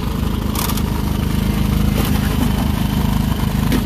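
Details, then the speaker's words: Ryobi 2300-watt portable generator in a box on a semi truck at a rest area, just started, no load: steady low hum with soft regular pulse, no knocks or surging; idling normally, very quiet. "see already at this point it's really quiet"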